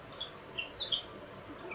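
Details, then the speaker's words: Salvo fiber laser: the gantry/tower head is raised to set focus with a focus stick for marking a box top. Sharp high-pitched squeaks repeat as the head rises; the lift mechanism sounds like it needs grease. "And it sounds like that bad boy needs a little bit of grease. Squeaky, squeaky, squeaky."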